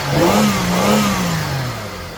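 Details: Holden VY Commodore engine started after sitting a few weeks. A quick rev blip falls back to an even, settling idle with no knocking or rattles; it sounds healthy.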